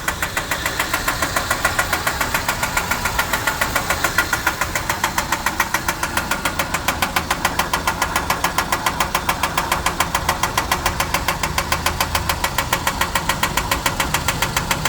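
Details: 2003 Ford Ranger 2.3 four-cylinder idling with a quick, steady ticking knock that stays even over the engine hum; owner suspects engine knock, unconfirmed.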